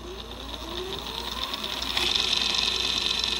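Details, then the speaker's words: Brand-new Cyclone e-bike motor fitted with steel planetary gears replacing nylon, first run with fresh grease: spins up with rising tone and steady high gear whine, not much different, maybe slightly quieter than nylon. "And it's actually not much different, maybe slightly quieter than the nylon set."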